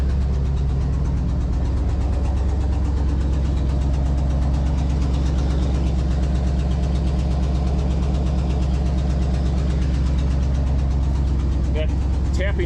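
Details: 1969 Ford Galaxie XL convertible V8 idling after a vacuum line was reconnected; low steady idle with a light quick tapping on each firing pulse, which the owner confirms is an exhaust leak. The car also burns a little oil and the oil light is on.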